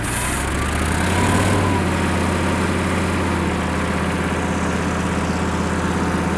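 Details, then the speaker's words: Kubota M5700 tractor, 5-cylinder engine of almost 60 hp, just after fuel lift pump replacement: idles with an uneven, slightly hunting beat, no clear knock. It still stalls; the new lift pump didn't fix it, so fuel supply to the pump is suspected. "d nope still has the same problem going back to this diagram of the fuel system since replacing the lift pump didn't solve the problem"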